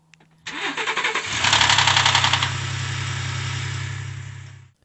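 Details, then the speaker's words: 2018 Ford Expedition 3.5L EcoBoost, cold start: cranks and fires, then a loud, harsh metallic rattle for about a second before idling, as oil drains from the cam phaser (VCT unit). "so in my experience this problem usually occurs on a vehicle that's been sitting not running for quite some time maybe two to six hours and then when you go out to crank it up you get that initial rattle"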